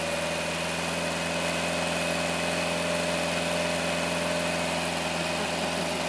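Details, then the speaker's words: Rebuilt 1960 MGA engine, refurbished and started for the first time since about 1971–74, running rich on too much choke: steady, even four-cylinder beat with no knocks, ticks or misses, firm and smooth; runs healthy. "man sounds like a real engine"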